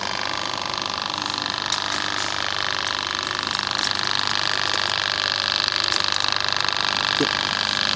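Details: Wagner 435 7.8 hp diaphragm airless pump (F230 equivalent), brought in for loud noise and oil leak, drain valve open purging air through return hose until no bubbles: steady quick pumping about 3.5 strokes per second, no rattle; running smoothly.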